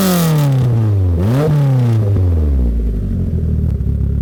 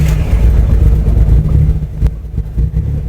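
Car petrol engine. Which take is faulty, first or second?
first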